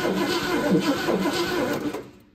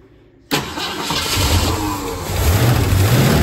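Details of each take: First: 1966 Ford Mustang GT convertible stored untouched over 10 years, Pertronix distributor: starter cranks about two seconds with no firing; spark confirmed, no fuel pump sound, no fuel reaching the engine. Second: 1966 Ford Mustang GT convertible, stored over 10 years mid-restoration, after switching to main fuel tank and tightening leaking fuel filter: catches at once, settles into steady throaty idle with slight wavering; oil pressure reads high, normal start and idle.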